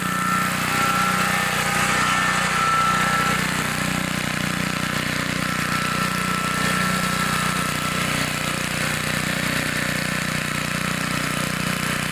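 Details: 1960s Bolens 28-inch Lawn Keeper mower, unadjusted carburetor, untouched at least 15 years, cutting grass: small single-cylinder holding steady speed, even firing with no misses or knocks; healthy normal running under load.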